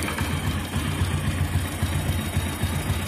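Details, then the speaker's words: Single-cylinder motorcycle with head noise: light metallic rattle about twice a second over a steady idle; head, camshaft and rocker arms fine, cam chain tensioner rattle, tensioner needs replacing. "அப்போ இந்த வண்டியில் head, noise, game shaft, ரேக்கராம் எல்லாமே நல்லா தான் இருக்குது. டென்ஷன் தான் பிரச்சனையாக இருக்குது."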